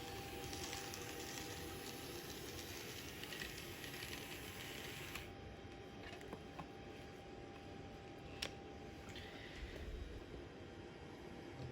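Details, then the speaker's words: Atlas N scale EMD SD60 DC locomotive on Kato Unitrack: very quiet smooth motor hum with light irregular wheel clicks over rail joints; runs well. "all right so does it run yes it runs very well um it's smooth it's quiet i mean the only noise you really gets the the chattering of the wheels against the uh the the track joints here"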